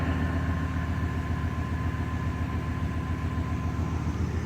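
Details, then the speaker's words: 1990 Chevrolet 1500, 5.7L 350 TBI, 291,000 miles, just started after fuel injector replacement: steady low V8 idle with an even beat and no stumble. It runs smoother than the earlier jerky idle but still smokes; the injectors weren't the fix and the cause is unknown. "Well, it runs. That's good. Got some smoke right off the bat. See if that clears out after a minute."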